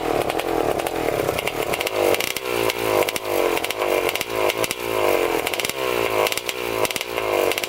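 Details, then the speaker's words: 1987 Kawasaki Tecate 4 250cc two-stroke quad, first start, airbox and silencer off: open-pipe blips in rough, blubbering, hesitant bursts, running rich. "So she runs, definitely running rich for sure. We're gonna have to get the air box on, the pipe on."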